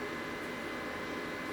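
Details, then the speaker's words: EcoFlow River 2 portable power station charging from the 12 V car socket: steady airy whoosh as the cooling fan runs harder than it did on 240 V mains. "fan now is going harder than it was when it was plugged into 240."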